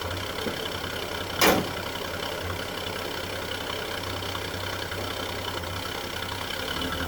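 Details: 1946 Chevrolet truck Stovebolt 216 inline six, original 6-volt system, warming up after cold start following nearly a month sitting; steady even low idle, smooth rhythm, no knocks or misses; normal idle.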